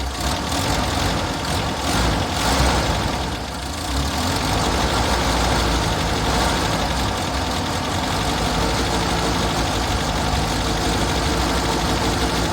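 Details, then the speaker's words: Six-wheeled Toyota truck after fuel tank replacement, new fuel filter and fuel line, left idling: idle sags and picks back up with loose irregular beat, hunting; fuel filter didn't fix it, owner next suspects ignition. "Same problem. So, replacing the fuel filter, that was a good thing to do, but it didn't necessarily fix my problem. I'm still having that same odd idle."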